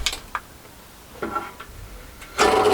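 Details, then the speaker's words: Cafe's industrial machine with an internal barrel: its motor was seized by filth and clagging, freed with WD. After a few clicks it starts with a steady, even, unstrained hum, now running normally. "so it was just filth and clagging amongst that motor that was stopping it running"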